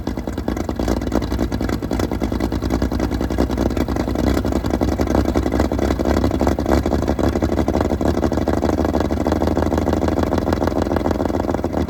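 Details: Fully restored 1935 Stancraft inboard, the oldest known surviving Stancraft, in raw unedited footage; loud, steady, even beat with a clean rhythm and no knocks or misses. Normal running.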